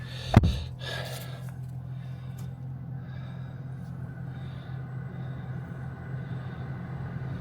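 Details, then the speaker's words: Newly acquired car with summer tyres fitted and an ABS fault reportedly fixed: short start burst, then a low, smooth, even idle with no knocks or misses. Normal engine start and idle. "Nii, paneme käima, vaatame, mis ta siis teeb. See ilusti"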